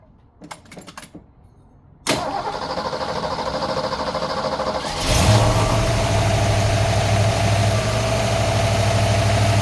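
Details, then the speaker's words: 302 V8 with a high-output cam, otherwise stock, with its fan missing, cold start: cranks about three seconds, catches cleanly and settles into a steady, even lumpy-cam idle with no misses or smoke; healthy engine. "A good running engine. You see it's not spilling the shop with smoke or nothing. It's a good running engine."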